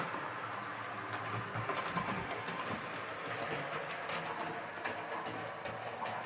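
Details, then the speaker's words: Hornby R2553 Princess Coronation Class "City of Bristol" model loco, before repair, hauling six coaches: motor hum, irregular light clicks rounding curves, faint scrape underneath suspected from tender wiper pickups. "clicking sound going around the curves um it's also making a bit of a scraping sound um I think that's the wiper pickups uh possible on the tender"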